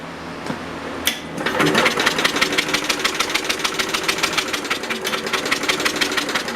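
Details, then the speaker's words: Universal model 42 RSS generator, 2500 W, 1800 RPM, cold start after sitting 5 years: fast, regular starter cranking about three pulls a second with no firing; no spark from dirty ignition points, to be cleaned. "Nothing. That's not good. Alright, we got no spark."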